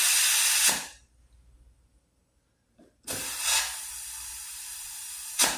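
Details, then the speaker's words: Vintage Hot Wheels R1NX go-kart tire, sat about 10 years, inflated to 30; bursts of sharp hiss from the air chuck with steady hissing escape between them: bead not sealing on the rim, air leak while inflating. "This thing's not sealing good on there. I'm gonna deal with it. Going there. That says 30. Let's leave that. Not getting a good seal though."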